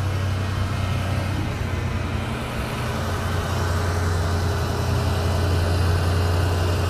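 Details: 1993 Ford Mustang GT V8, EEC-IV cylinder balance test: engine held at steady raised idle with slight even dips as each of eight injectors drops out in turn; all cylinders pulling equally, normal.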